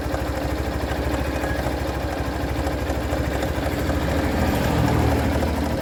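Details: Abnormal engine noise at idle on a Hero Thriller 160cc single-cylinder engine: a rough, uneven patter at about three beats a second rides over the idle; cause unclear.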